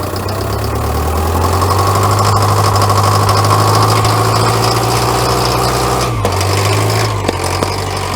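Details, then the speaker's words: Caterpillar 922B loader diesel that sat over a year, after pressurizing the system with an air compressor, no ether, throttle wide open: catches and settles into a steady low rumble with even firing, no misses; running normally on its own. "yeah baby she is running under her own power where try and get this bucket dumped out very quickly beautiful engine sounds good too"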